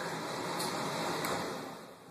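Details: Furnace blower just after its melted start capacitor was replaced and the breakers were switched back on: steady whooshing air, then a smooth coast-down after switch-off with no hum or scrape. It works normally after the repair.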